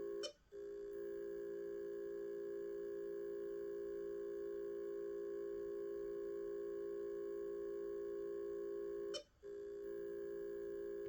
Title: Broken Seagate with beeping noise